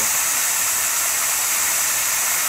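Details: Saturn Vue CVT forward clutch piston on the bench, air pressure applied: steady, even hiss of air slipping past the faulty piston seal instead of applying the clutch; it engaged late when the fluid got warm or thin.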